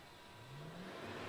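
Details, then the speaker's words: Rider scrubber, squeegee lowered: quiet hum, then the vac motor comes on instantly, climbing in pitch to a steady drone; normal vacuum motor start. "Yep, so squeegee went down, vac motor went on instantly."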